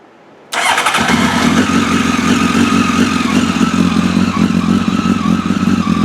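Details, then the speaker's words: Honda Blackbird on non-factory replacement coils (deep vs shallow pocket design difference) with stock wires: it is slow to fire, then idles at about 1500 with an uneven stumbling stutter felt in the bars. Suspected cause is the non-factory coils. "start the bike up here and I'll let you hear you'll hear a stutter also it takes a little bit longer to fire"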